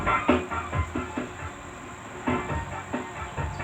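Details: PROEURO TECH AC375 power amplifier at very low volume; music choppy, distorted and cutting out between bursts, sound breaks up, cannot be turned up.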